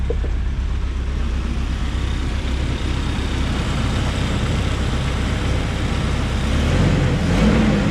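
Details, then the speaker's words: Sonoma with a blown head gasket, idling before warm-up after CRC head gasket repair was added to the radiator with water only: low, rough idle with an uneven lope and a skipping beat. It is missing and shows slightly colored smoke. "You can see the smoke coming out of the back, slightly colored in the air. Then you can hear it missing."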